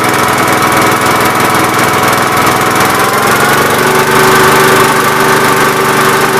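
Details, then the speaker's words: Gravely 8123 with 50-inch mower deck after deck bearing replacement: steady, even engine drone with a smooth blade hum and no knocking or grinding; far better than the earlier sledgehammer-like pounding. "sweet that sounds way way better i don't know if i took a video of this beforehand or not but this uh this deck sounded like a bunch of little minions with uh sledgehammers pretty much"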